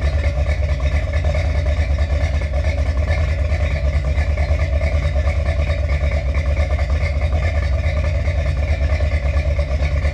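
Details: Finished 1977 Corvette C3 with number-matching steel-crank 4-bolt-main 350 V8 after a two-year restoration: deep, even idle burble with steady low pulse through dual exhaust, no misses or knocks; healthy.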